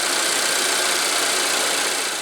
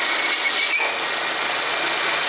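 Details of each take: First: Volvo at high idle warming the cats after replacing the oil trap (part 32140004) for code P0171: idle drops to an even, steady hiss with no whistle. Normal idle after the new oil trap cured the whistling. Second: Volvo with a failed repair to its cracked PCV oil trap (32140004), P0171 lean code and high idle, on the third drive cycle: a high, thin whistle holds steady over the engine. This is a vacuum leak from the failed oil trap.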